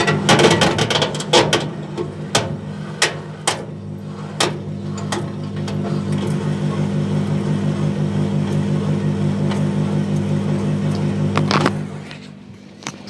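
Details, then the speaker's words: Electrolux clothes dryer (5–6 kg, same as Simpson/Westinghouse), microphone at the back: low drum hum with loose irregular clunks heaviest right after the drum reverses direction; mechanical knock, bearing or idler suspected. "It's kind of settled down a bit, but as soon as it changed direction, man, that was mechanical, all right. So I reckon, listen, it's either the bearing or it's the idler."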